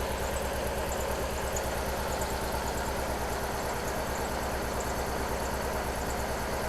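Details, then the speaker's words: Subaru BRZ with a 3UZ V8 swap after new injectors were fitted: an uneven, loping idle with a periodic stumble as one cylinder still misfires. Cause not found. A separate shake noise came from the bumper. "Still missing on these that cylinder. That's weird. Look at that. It's still missing on it."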